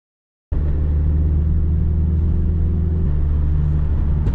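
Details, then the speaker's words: Honda Civic D16Y7 turbo build, cold snowy-morning start: engine catches at once into a steady deep rumble, then idle steps up as the choke kicks into high idle; normal cold-start fast idle. "i was about to say it's being tamed this morning but then it kicked into high idle choke"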